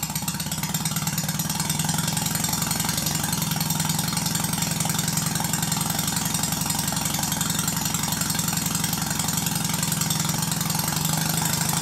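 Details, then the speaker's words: Red Stuart Sirius steam engine, like new with perfect valve timing and no wear, on compressed air running slowly: crisp even chuffing about four beats a second, no knocks or rattles; sound engine. "it's not too bad when running slowly but this isn't going to generate much electricity unless you increase the speed"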